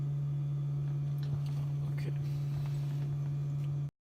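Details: Car supercharging: steady low buzzing at one even pitch from the HVAC compressor under the dash cooling the battery; normal, also audible outside the car.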